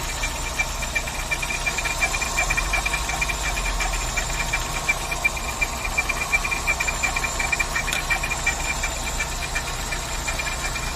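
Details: VW Saveiro G4 with AP 1.6 engine idling with the valve cover off; sharp regular tick just under three per second following engine speed; owner suspects the timing belt or pulley, unconfirmed.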